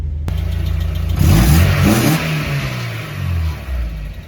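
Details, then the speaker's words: Mazda Miata after fitting a new California-approved catalytic converter and a new exhaust gasket and washer: clean rev blips rise and fall smoothly, deep tight exhaust, no ticking or puffing leak; normal exhaust note, much better than before. "that actually sounds pretty good [Music] way better than it did before that's for sure"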